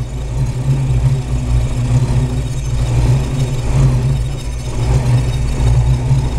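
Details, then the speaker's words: Ford Maverick V8 with faulty MSD 6AL ignition module (test coil fitted, distributor checked fine): rough uneven idle with stumbles as spark arcs inside the distributor once the module heats up, leaving black marks. "esse barulho é dentro do distribuidor tem até umas manchas pretas n dá para ouvir o barulhinho quando módulo de ignição começa a quentar el começa a fazer isso"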